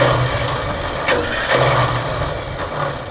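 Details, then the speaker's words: Vintage TD9 bulldozer starter whirs freely with a steady hum and brief clatters but never turns the engine, even after greasing the pinion. Worn pinion teeth noted; owner suspects the one-way bearing slipping on the shaft. "still not engaging. So, I'm going to have to try something else. Uh I think that oneway bearing is sometimes slipping and yeah, see that slipped."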